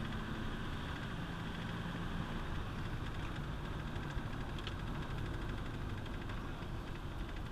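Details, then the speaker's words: Ford 460 V8 truck climbing a hill under heavy throttle: deep, steady engine roar holding strong and even with no knocks or misses; keeps pulling uphill. "I mean when you put this thing to work I mean it you know I'm going uphill here too but it just keeps climbing"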